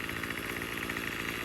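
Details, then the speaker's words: Troy-Bilt TB35 two-stroke weed eater after replacing and tuning the new aftermarket carb: fast, even buzz at steady pitch without surging or stumbling; normal running. "Good. Just tuned the new carburetor. Had to get a different tool. Beautiful. Ready to go."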